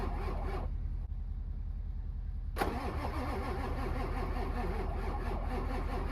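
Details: Ford 7.3 Powerstroke diesel with 740k miles, not started in months, cranked in winter: the starter churns steadily at about two and a half turns a second, stops briefly, then grinds on without firing; long, hard crank.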